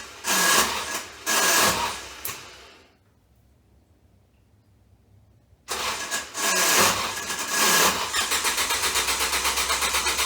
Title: Ford Focus bad Starter short from burning up